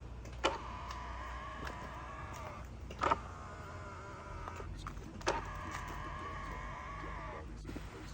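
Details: Hyundai Sonata / Kia K5 power mirror after its squeaking folding mechanism was lubricated with lithium-Teflon grease: three smooth, even motor whirs, each starting with a click, with no squeak. The mirror folds normally.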